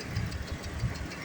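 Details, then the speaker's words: 2012 Chrysler Town & Country 3.6 L variable valve timing V6 at idle, after 5-minute motor flush before oil change: light rapid ticking with engine speed, lifter ticking still present. "3.6 L variable valve timing had a lifter ticking we can hear it still making a noise"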